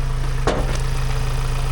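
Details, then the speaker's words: Amazon Transit van's first run in about 7 months, with the bonnet open, every sensor unplugged and no coolant. A low, heavy, uneven pulsing idle with one sharp click early on; it runs rough, cause not pinned down. "Oh, it doesn't sound good. I mean, every sensor is not plugged in."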